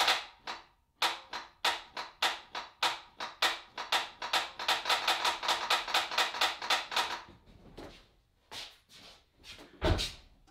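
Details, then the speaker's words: 1991 Dodge Dakota 4x4 Club Cab, 5.2L 318 V8, key turned in cab: rapid sharp clicks, three or four a second, then stops with no cranking; starter solenoid chattering without turning motor, intermittent no-start, starter being replaced. "So that was happening to me a lot. Sometimes it would start, sometimes it wouldn't, but at the end of the day, what that clicking sound is, it's the solenoid on the starter activating,"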